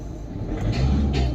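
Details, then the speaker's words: VW Vento petrol engine with check engine light on knocks heavily on acceleration, a rough uneven rumble with sharp rattly bursts and slight misfiring; the fault is diagnosed as a faulty fuel injector. "क्योंकि जब मैं इसको acceleration करता हूं ना तो यह काफी नॉकिंग करती है"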